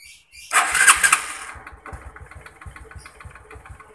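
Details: Honda Supra X125 that would not start even with a new battery, after replacing the faulty starter button: a brief crank catches cleanly, then the single cylinder settles into an even idle, popping about three times a second, no misses; normal start.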